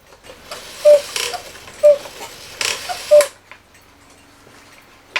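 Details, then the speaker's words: 1969 E. Schmeckenbecher Black Forest cuckoo clock, West German movement, long unused, before repair: three thin, wheezy cuckoo calls about a second apart; stiff leather bellows with a hole in one, maybe both, leaking. "those little wimpy like I say we do have a hold in the one maybe in both of them"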